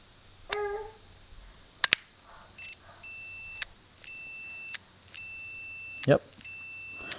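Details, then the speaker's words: Murray 12.5HP 40-inch riding lawn mower ignition switch tested on continuity with meter: clear steady high-pitched beeps across prongs (ground, magneto, battery to solenoid) with switch turned; switch confirmed good. "all right so we confirmed that the switch is good by testing continuity on the prongs"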